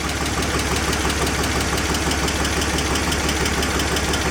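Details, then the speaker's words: 2004 BMW 325i after oil filter housing gasket, CCV and coolant hose work: engine idles smoothly and evenly with a steady low drone, both with MAF unplugged and plugged back in, after an earlier rough start; oil still leaking. "Plug the math in. Oh, and it's running nice and smooth too. Plug the math in, still running smooth."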